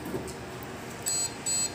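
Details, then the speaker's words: Desktop PC with no display giving two short high-pitched POST beeps, signalling a memory fault; fix is unplugging, discharging by holding power button, and reseating the RAM. "if you are experiencing or having problem with your computer that your computer is not displaying on your monitor or uh you're hearing a beeping sound"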